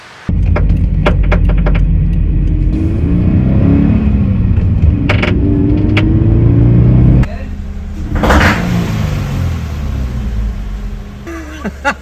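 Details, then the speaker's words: Subaru BRZ FA20 engine after track laps at Sandown: sharp irregular pops and cracks while revving, first thought pre-detonation or intake backfire; found to be backfiring from a missing direct injector seal on one cylinder. "So I've nailed it down to the engine. We're not quite sure exactly what it is, but it sounds very much like pre-detonation or like backfires from the intake."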